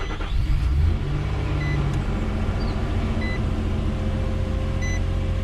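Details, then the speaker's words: 2009 Nissan Pathfinder SE 4WD 4.0L V6 after valve cover gasket and spark plug replacement: catches quickly and settles into a fast, steady cold high idle with no misses or knocks; normal, though the cracked belt may make some noise. "all right start right up this thing starts with a really high idle so that's actually pretty normal so honestly it's doing what it typically does"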